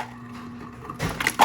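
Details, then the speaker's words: Samsung smart fridge, after clearing ice buildup in the ice maker compartment and resetting the ice maker (blue button held 2 s): low steady hum of what the owner thinks is the auger pushing ice to the door, then ice cubes clattering out normally with no grinding. "So that's the sound that we should expect with the, essentially I think it's an auger, is running to push ice to the door."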